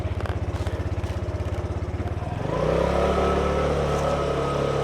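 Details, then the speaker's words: 2020 Piaggio Liberty ABS 150cc scooter, 15,700 miles, after new belt, Malossi variator, new stock clutch: steady single-cylinder idle then smooth rising drone as clutch takes up, no judder or slip; drive engages cleanly. "We're going to start her up. Sounds good."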